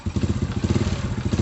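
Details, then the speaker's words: Old Honda Supra motorcycle electric starter test: jumped straight from the battery, the starter motor churns steadily at about ten pulses a second. The motor and wiring are good, so the starter relay/solenoid is faulty. "Jadi masalahnya ada di bagian ini, teman-teman. Salah satu baut ini terhubung langsung ke baterai, kan, teman-teman?"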